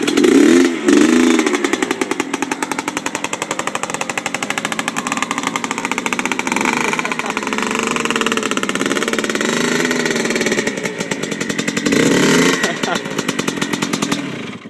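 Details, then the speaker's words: 1997 Yamaha Blaster 200 two-stroke at first start after rebuild: revs up and holds high with a raspy, buzzing note but never pulls under load; owner suspects the clutch is not engaging or the transmission is burned out. "that clutch doing I don't think the clutch works anymore somehow mission burned out I guess the clutch isn't engaging here"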